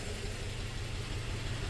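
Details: 2004 Toyota Tacoma 4-cylinder, 141,000 miles, low idle after swapping injectors: uneven, stumbling pulse as one cylinder drops out. The misfire followed the injector, confirming it fails when heat-soaked.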